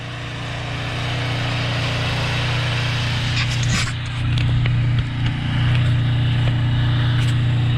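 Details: Craftsman two-stage snowblower, just started after 2 years unused and refuelled, runs with a steady, even low drone while throwing snow, no stumbles or hesitation; normal running.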